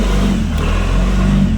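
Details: Tata Ace Gold BS6 diesel after no-start with DEF and check engine lamps lit, DEF tank filled and level sensor checked: steady low clatter, even beat, no stumbling or hunting; normal idle.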